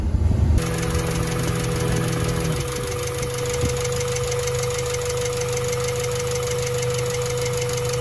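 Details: Honda Civic EK4 being prepared for track, idling while warming up with coolant around 77–84 °C (fan triggers at 95): fast, even light ticking keeping time with engine speed over steady idle; valvetrain tick suspected, cause unconfirmed.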